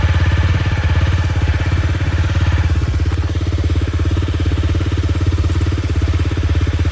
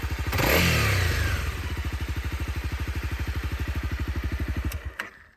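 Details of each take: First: Honda CRF250L single-cylinder after cam chain tensioner lifter replacement, fitted to cure rattling on throttle closing from a loose cam chain: even idle thumping with no chain rattle or top-end clatter; sounds healthy. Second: Honda CRF250L single, clatter appearing when the throttle closes: a throttle blip, then a light, fast rattle rides on the thumping as revs drop; slack cam chain, suspected fix is replacing the cam chain tensioner lifter.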